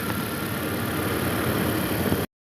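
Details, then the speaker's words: Petrol engine idling smoothly with no chirp, squeal or rattle after replacing a tensioner that had play and was making noise, plus a new belt; noise gone. "new tensioner noise is gone put a new belt on there too"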